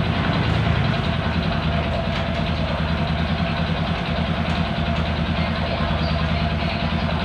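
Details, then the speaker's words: Honda Supra 125 idling with a coarse, uneven rattling knock under the beat; worn connecting rod and crank bearing, noise remains after clutch work, engine must come down for repair; bike also had hard shifting and weak power. "untuk suaranya tetap tidak hilang karena Emang permasalahan ada di stang sehernya dan rumah kacanya itu harus turun mesin ya"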